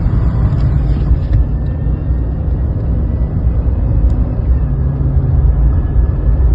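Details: 2020 Chevy Silverado LT 5.3 V8 at idle: a thin, steady high whine over a deep rumble, caused by the worn belt tensioner pulley; the pulley and serpentine belt were replaced.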